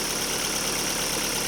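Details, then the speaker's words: Daewoo Lanos after fixing a dropped oil-channel plug starving the hydraulic lifters and replacing four rockers, first start: steady even idle with airy hiss, no top-end ticking; lifters quiet and healthy. "значе нічого наче нічого проїдемось ну наче все окей"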